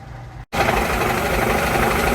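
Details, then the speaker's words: Old 37-year-old shop air compressor being replaced: even, steady pumping rattle with fan rush as the fan blows across the top and the pressure head heats. It runs smoothly and sounds healthy. "all right there he's going so the Fan's blowing along here and it's just coming across the top pressure head's getting hot but you don't really feel any uh any wind on it from the fan"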